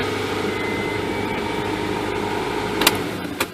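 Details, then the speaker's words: 1997-2001 Honda CR-V, B-series twin-cam engine, first start after timing belt and water pump replacement. Steady, even idle hum with a faint belt whir and no knocks or rattles; normal idle. "I'm gonna start this thing. Let's see if I blew it up. That sounds right."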